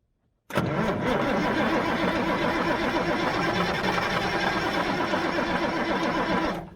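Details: 1977 Mack R-model diesel cranks at a flat, even rhythm for about six seconds with an injector line broken loose. It never fires. The owner believes it's not getting fuel. Cranks but won't start.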